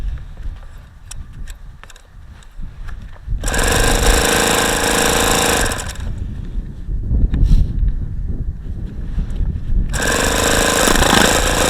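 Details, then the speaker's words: ASP FS65 glow-plug RC model engine on a test stand on a cold 29°F day, with 5% nitro fuel, an OS F plug, an APC 12x6 prop and lighter-fluid priming: two long bursts of starter whirring, with strange exhaust sounds as if wanting to fire, but it never catches. "it's got some very strange sounds coming out of the exhaust sounds like it's wanting to fire but it just isn't a"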